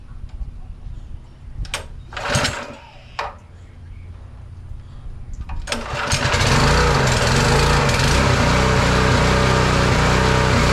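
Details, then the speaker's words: Simpson pressure washer engine after carburetor replacement (old needle valve leaked fuel into engine): catches and runs a steady fast beat, then dies once the pump loads it; cause unknown. "Well, I tried a pressure washer with it and it dies. So, back to the drawing board, but it's running good."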